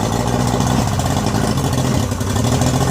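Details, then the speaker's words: Yamaha 90 hp outboard after rebuild (new pistons, rings, rebuilt carbs, water pump), idle being adjusted, slightly low: steady low burbling idle with even beat, no knocks or misses; running well. "But anyway, it seems like it's going to be fine. It was running well."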